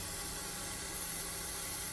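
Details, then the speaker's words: Ecowater compact series softener after the error code 1 fix, taken off bypass (it had been rushing water continuously) and regenerating. Constant soft fill hiss with a brief cutoff near the end; filling normally. "And we should hear it start to fill, which it is doing. It's been offline for a bit, so we're going to let it go through its cycle completely."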